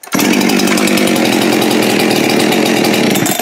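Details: Salvaged Husqvarna 372XP X-Torq chainsaw with fresh rings, honed cylinder, carb kit and metering lever adjusted, restart test: crisp, steady two-stroke buzz for about three seconds without stumbling or surging, then drops off; runs cleanly.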